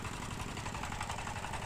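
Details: Mitsubishi diesel that revved by itself and would not shut off after reassembly; a gear clip lifted during assembly was straightened and refitted. After repair: steady diesel idle with even clatter, no surging or racing, sounds healthy.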